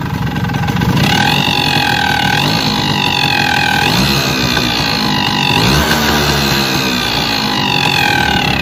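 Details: Suzuki RC100 two-stroke, piston reportedly just replaced: revs up and down with an odd whining buzz riding on the throttle; abnormal engine noise, cause unclear.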